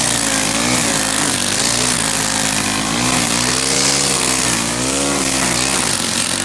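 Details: Stihl gas two-stroke string trimmer, started again after first starting and dying: loud, high buzzing note wavering slightly with throttle, running cleanly and holding speed.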